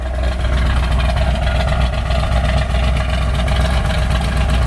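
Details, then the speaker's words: 1963 Ford Galaxie 500 R-Code 427 big-block V8 with dual 4bbl carbs and 4-speed, documented actual miles, restored, good oil pressure, heard at the tailpipe: deep, steady, even idle burble with no misses, knocks or ticks. "a beautiful thing. Sounds great."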